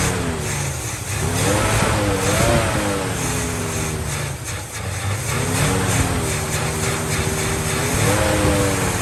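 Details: 1950 Plymouth Deluxe, off the road 23 years, after a carburetor fuel filter and new plugs: lumpy rumble idling steadily with throttle blips rising and falling cleanly; now idles on its own on the engine fuel pump, running fine.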